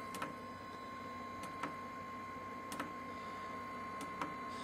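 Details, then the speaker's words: Lavaner 5 kW 12 V diesel water heater on first test run, before ignition, with poorly primed fuel line: sharp light ticks about every 1.3 seconds over faint whine; fuel dosing pump clicking normally. "the heater itself hasn't actually fired up yet as such um i can hear the fuel pump clicking away"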